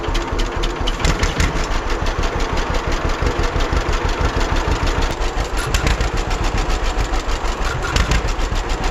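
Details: 1946 John Deere BN two-cylinder tractor on a 47°F day, after carburetor rebuild and governor throttle control rod adjustment to fix earlier surging: steady, even popping beat at a constant speed without surging. Healthy idle.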